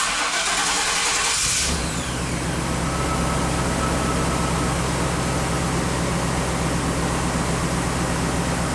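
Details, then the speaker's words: 1998 Chevy K2500 V8 with new intake manifold gaskets, cold start while warming up after coolant fill: brief cranking, catches cleanly into an even idle with no misses; IAC in control, fuel trims within about 5%; normal start and idle. "So our idle is definitely in control now."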